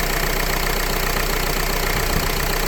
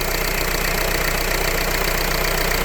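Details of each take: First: Renault Laguna 3 2.0 dCi diesel, now hot, during a timing chain job: steady idle clatter with an even beat. The rubbing noise heard when cold is gone, with no rattle from the engine front; normal idle. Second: Renault Laguna 3 2.0 dCi diesel just started cold during a timing chain job: busy clatter with a steady rubbing hiss over it. The owner says it rubbed when cold and suspects a noisy bearing; the cause is unconfirmed.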